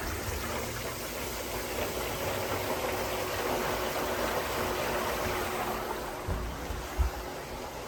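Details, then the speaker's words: Samsung WA50M7450 top-load washer (2017) after drain pump replacement for SC error: steady rush of draining water over a faint, even pump hum, no grinding or rattling; drain pump working normally. "look at that look at that look at that you hear that that's water drain"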